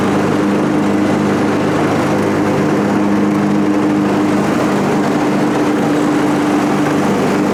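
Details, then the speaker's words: John Deere 445 mower that had been backfiring and running poorly, after tune-up and coolant top-up, with blades engaged: steady hum holding speed, no stumbling or surging under load; wouldn't idle before, now healthy. "Probably hear the difference. It wasn't even idle before."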